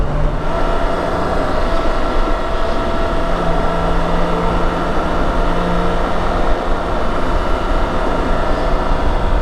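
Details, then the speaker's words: BMW K1600 GT motorcycle riding in 4th gear: low constant drivetrain drone under road and wind roar, quieter than on another K1600 but the same characteristic noise; source unknown. "Or listen to this thing. 4th. Dude, it's nowhere near as loud, but it absolutely does the same thing."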